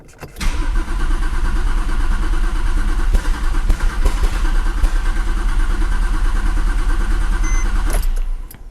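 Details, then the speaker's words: Porsche 911 Turbo 997.2 9A1 engine, first start after rebuild, fuel line primed by cycling key: steady, even cranking about three turns per second for several seconds without firing; sounds like a strong, healthy crank. "healthy crank it sounds sounds healthy again"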